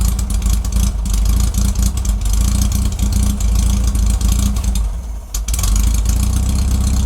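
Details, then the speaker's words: 1969 Volkswagen Karmann Ghia, warmed up with the choke mostly off, after dwell and timing were set and before a carburetor rebuild: won't start on its own, then runs raggedly on starter fluid, surging and nearly dying; hard starting, a fuel delivery issue suspected. "Whatever it is when it's in that position right now, it's not starting."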